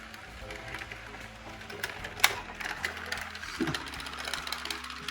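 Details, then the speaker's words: Walthers Trainline EMD GP9 model locomotive pulling a long train of knuckle-coupled cars: light rattling clicks and uneven ticking over the motor's hum as one derailed car bumps along off the rails. "One's really derailed. Yep, I've found the problem."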